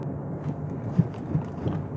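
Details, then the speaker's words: Cheap used Hyundai Santa Fe crawling slowly over a speed bump; dull low thuds and rattling from the rear underbody, suspension bushings suspected worn out overall; suspension clunk over bumps. "뒤쪽에서 소음이 많이 나네요 뒤쪽에서"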